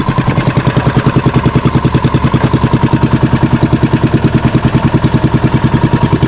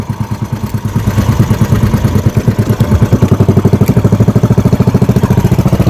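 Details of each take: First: Fishing boat (bangka) engine after fixing a misfire and securing the shaft: even steady thumping about 200 beats a minute, no misses or knocks; running smoothly, shaft alignment praised. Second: Fishing-boat (bangka) engine misfiring badly while heading out to fish; the tank was found full, so fuel starvation is doubted and the cause is unknown; a throbbing idle around two beats a second with uneven, stumbling pulses and dropped beats.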